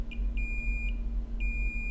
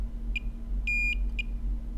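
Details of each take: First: Dead iPhone 7 Plus under data recovery: multimeter continuity beeps on VCC_MAIN to ground on both sides, diode reading 0.001, confirming a VCC_MAIN short. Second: Dead iPhone 7 Plus logic board, multimeter beeping: several short beeps then a steady tone; after removing a shorted capacitor, VCC_MAIN diode-mode reading is about 327–332, so the short is cleared.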